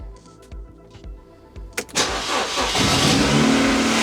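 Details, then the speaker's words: Ford Puma, broken and sitting six months, first start after the four injectors and vacuum pipe were reconnected: brief crank, catches under two seconds, settles to steady even idle with no misfire; runs brilliantly. "It runs absolutely brilliant. Oh, I'm so chuffed. I didn't know it was going to be that easy."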